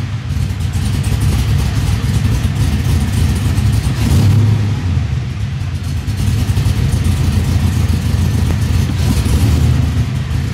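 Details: LS-swapped 1973 Nova, down on power, warm V8 idle with lumpy cam and light throttle blips to around 1500 rpm: some rises skip and stumble instead of climbing cleanly; misfire suspected, to be data-logged and plugs changed.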